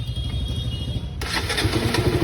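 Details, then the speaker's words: KTM RC200 single started on the electric starter after valve work (new valves ground in) and washing: brief starter whirr, fires immediately, settles into a clean, even idle with no tapping or rattle; normal start. "दोस्तों आप देख सकते हो half cell में जो bike start हो गई है ठीक है यहां पर बढ़िया करके स्टार्ट हो गई है इंजन से अच्छी आवाज आ रही है ठीक है"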